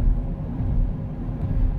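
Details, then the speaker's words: 2009 Chevrolet Impala, rear winter tires on warm pavement, driving after front passenger wheel bearing replacement, new pads, resurfaced rotors and brakes bedded in: low steady rumbling growl at road speed, suspected from the winter tires. "I put them winter tires on the back and man you can hear them growling cuz they don't like being on the road when it's this warm"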